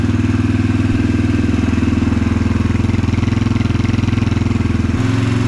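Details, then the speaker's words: 2022 Yamaha TTR-125 air-cooled single after Tusk cold start jet kit install and carburetor cleaning, first start with choke off: quick even idle about three and a half beats a second, steady and clean; normal idle. "I do believe first start, it started right up. Idling perfect. This is wild."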